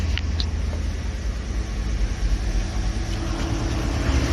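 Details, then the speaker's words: Cadillac hearse just after its first start in about 5 weeks: low steady rumble settling into idle with no knocks standing out, street traffic behind; normal idle. "I'm going to keep it ticking over for a little bit."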